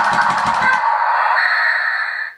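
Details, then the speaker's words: Newray RC Volvo A40D model driving on a smooth road: rapid clicking, about ten a second, over a high electric motor whine. The motor gear-train slip clutch is slipping because it is set too light. "you can hear that clicking that is the slip clutch in the motor gear train that's um trying to save the gears from being destroyed but it's obviously way too light"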